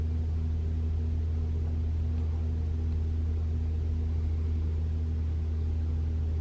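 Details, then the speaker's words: 2021 Toyota RAV4 Prime SE starting up in EV mode at 57 degrees with Auto AC off, fourth repeat test: the heat pump gives a loud but steady low drone of constant pitch with no rattle or squeal, so the infamous noise is absent and it runs normally. "I can hear the heat pump humming it's not doing anything it's pretty loud but it's not making that sound"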